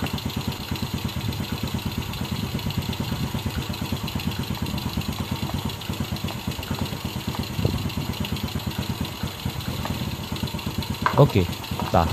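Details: Yamaha Vega RR/ZR single-cylinder engine restarted after combustion-chamber cleaning with foam carbon cleaner, done without disassembly: steady idle, then a couple of quick blips near the end; sounds healthy and clean, normal idle and rev.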